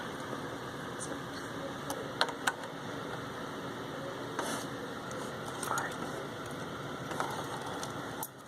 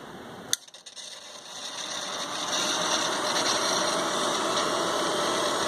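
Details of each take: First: ICS Advent Pentium III industrial PC (baby AT) during boot: irregular faint scratchy clicks and crackles over steady fan hiss; owner believes he traced it to the PC speaker, likely a loose wire in it, never fixed. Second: ICS Advent Pentium III industrial PC reassembled with all covers on, worn fan filter: steady airy hum with a faint high whine, no rattle or grinding; normal fan noise.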